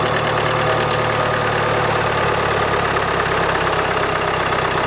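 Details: 2016 Land Rover Discovery Sport Ingenium D180 2.0L four-cylinder diesel, cold start below 10°C, timing chain prone to stretching, before or after chain replacement; steady, even diesel clatter at idle with no knocks or rattles; normal idle.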